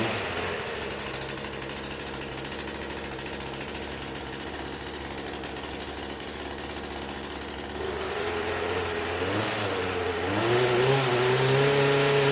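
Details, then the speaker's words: Poulan Pro 4218 chainsaw after top-end cylinder and piston rebuild for overheating and lost compression, started on second pull: settles into even idle then revs cleanly with rising buzz, no misfire, some oil burn-off; running healthy. "How about that? Second pull. We're getting some of the burn off of the oil that I put in there, but I'd say it's a success."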